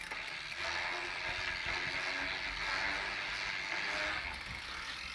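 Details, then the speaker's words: New Sturmey Archer X-RK8(W) 8-speed hub fitted as a replacement: silent in first gear; from second gear up, a rapid dry ratcheting clatter with a thin squeaky edge that gets louder in higher gears; the dealer calls it normal, the owner disagrees. "If I switch this into second gear, the noise starts happening. Okay. So, the higher I switch this, the louder it'll [Applause] get."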